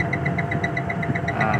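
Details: Daikin 8PK central AC with a tripping MCB and a compressor starting to sound rough: steady low hum with a light, even ticking about five times a second. It runs without the protection cutting out.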